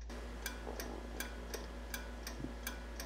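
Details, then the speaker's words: Triumph Spitfire turn signal with battery connected, front indicator and dash indicator working: crisp, regular clicking about eighty cycles a minute over a low hum, not slowing down, lamp brighter; normal flasher rate. "can really hear the click and it's not slowing down at all much brighter"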